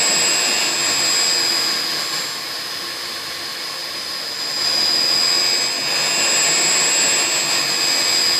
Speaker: Drop there to about 92, raised again to 127, drop to 92, to 127. And no doubt you can hear by the sound of the pump motor the oscillation. And this will continue until the unit is switched off.